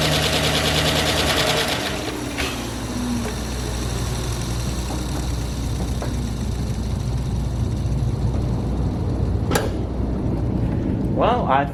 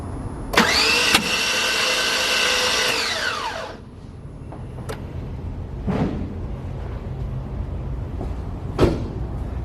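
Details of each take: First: 2009 GM truck with 5.3 LS V8, first startup after a broken camshaft locator pin fix, fresh oil and filter, jumper battery: quick start settling into steady idle with light tapping; lifters still pumping up, 50–60 psi oil pressure, otherwise healthy. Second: 2009 5.3 LS truck engine, cranked on a hooked-up battery: fast even spin with no compression except one faint blip. The broken cam locator pin let timing slip, leaving a bent valve.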